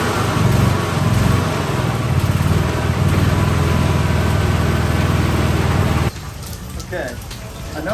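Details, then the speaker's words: 2013 E-Z-Go gas golf cart after tightening belt: steady cranking about four beats a second for six seconds, never firing; engine turns but won't start, owner suspects no fuel reaching the motor. "know it may sound like it but we don't have gas actually getting to the motor"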